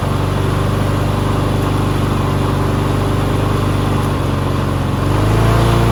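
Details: Push mower that sat six years with water in the engine, running on bad oil: single-cylinder engine at a steady beat, then revs swell near the end; loose throttle lets the speed wander, surging.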